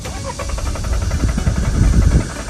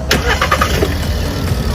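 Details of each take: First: Warm engine at normal coolant temperature, restarted after shutdown: steady rhythmic starter churning with no catch; starts only cold in the morning, coolant sensor already new, traced to a dirty intake air temperature sensor. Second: Hot restart with engine still warm, after cleaning a dirty intake air temperature sensor that caused hot no-start: brief crank, catches at once, settles into a steady, even idle; fault fixed.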